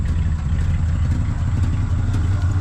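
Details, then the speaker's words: 1974 Chevy C10 dump truck, abandoned for years, first start: deep, lumpy, uneven idle with clatter, smoky, with an exhaust leak and a strong bad-fuel smell. Running rough. "God it smells of really bad fuel but it's idling it's actually running kind of okay like kind of it's Smoky though I don't I don't like that maybe it'll come around I don't know"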